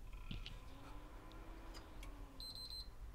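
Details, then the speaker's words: Backwards-compatible PS3 CECHC03 bought faulty: on power-up green light, then a quick run of three short high beeps and shutdown — yellow light of death. "green and as he says three beeps i think it's a yellow lighter death i can't see whether that goes quickly yellow or not"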